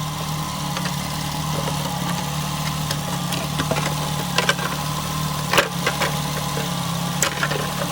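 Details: Nissan Altima, exhaust manifold crack checked for leaks: steady, even idle with low drone and a few scattered light clicks; no ticking leak, runs healthy.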